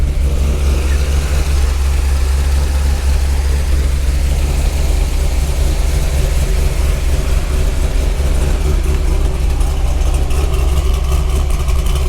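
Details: 2003 Corvette C5, 18 years old, bought at auction, first start at the lot with no brakes or brake fluid: deep, loud, raw unmuffled V8 rumble at idle; no catalytic converters found, owner unsure it sounds right.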